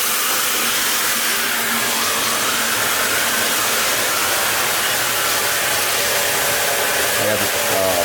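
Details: Half-horsepower shallow well jet pump, 40-gallon galvanized tank, after capacitor, start switch and pressure switch replacement and air volume control fitted, during a run cycle of just over 30 seconds: constant high rushing hiss with steady motor note, no grinding or surging; normal.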